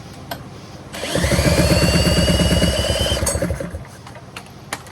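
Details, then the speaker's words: Go-kart small engine, clutch found bad: fires after a second and runs a few seconds at a quick, steady, even putter before shutting off, showing the engine itself is not destroyed. "Oh, that might help. Proof that the engine's not destroyed."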